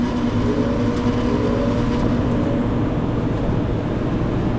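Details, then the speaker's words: Captive Aire kitchen hood exhaust fan after new motor install, set screw tightened, power restored; steady, even hum with constant low tone, no scraping, knocks or wobble; rotation direction correct, fan motor runs smoothly. "you want to give her a spin make sure there's no scraping noises sounds good to me"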